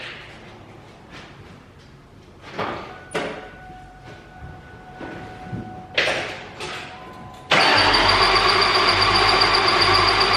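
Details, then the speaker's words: 2003–2004 SVT Cobra supercharged V8 after a full rebuild with all 32 valves replaced, first start attempt on a jump pack: the starter spins it at a steady rhythm but it never fires; crank sensor left unplugged after refitting the AC compressor. "I think I know what it is. I don't have any crank sensor. Uh when I put the AC compressor on, I didn't plug it back in."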